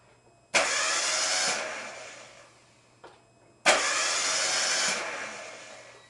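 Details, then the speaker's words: Geo Metro just after engine overhaul, timing cover and AC belt left off: two bursts of starter cranking with no firing or catch; turns over but won't start, owner suspects something not hooked up. "it's turning just not uh not firing something is uh something didn't get hooked up uh but I I thought I went over it pretty well"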